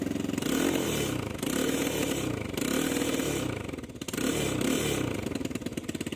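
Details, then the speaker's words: Given 250cc quad bike with a new carb, spark plug, battery, air filter and fuel lines, plus a very rough wiring harness: the idle rises and sags every second or so and won't hold rpm, a rough, hunting idle even after the new plug. "I just put a new spark plug on it and it's still running a bit rough. It doesn't really want to I don't know stick or stay at the RPM in idle."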